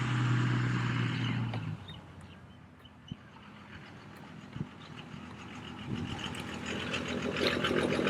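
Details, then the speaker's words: Diesel truck with an Industrial Injection hot-rod VP44 pump and DAP 100-horsepower injectors, while driving: deep drone that swells and sags, a random lope from injectors too small for the pump. "But you guys can see that the truck wants to like almost lope a little bit when it's driving, and it does it randomly."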